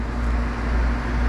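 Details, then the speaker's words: Old R22 air conditioning outdoor unit after a capacitor fix: compressor starts and runs with a steady low even hum, no buzzing or clicking; normal compressor operation. "But uh we are back in business. I did hear the compressor start up and"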